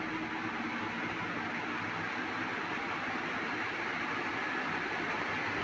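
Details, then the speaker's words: Ceiling fan after repair for noise and jerky running, done without replacing bearings: steady soft rush of air with no clicks, jerks or rubbing, running fast and smooth; normal running. "देख सकते हैं दोस्तों इसमें बिल्कुल भी आवाज नहीं है अब और यह बहुत स्पीट के साथ चल रहा है और बहुत स्मूथ चल रहा है"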